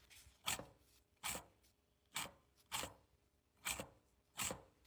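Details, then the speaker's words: Removed CV axle wheel bearing spun by hand gives short gritty, rough rasping; customer heard a rolling noise while driving, and the whole axle was replaced. "hear rough that sound"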